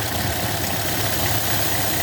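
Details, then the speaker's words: 2017 Buick Encore 1.4 turbo with misfire, sputtering and lean codes: idle with steady airy hiss and faint high squeal from a leaking PCV valve built into the valve cover; intake manifold also leaking. "so that's a problem in the built-in a PCV valve that is sneaking also if you if you can hear"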